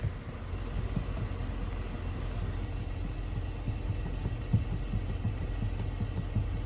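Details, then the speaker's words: Jeep JK brake pedal rocked with about 1/4 inch of up-and-down play: soft, repeated low clunks over a steady rumble; worn nylon pivot-shaft bushings, which rattle over bumps when the foot is off the brake. "I just think that when it goes over bumps and if you don't have your foot on the brake at all, you kind of hear that rattle noise."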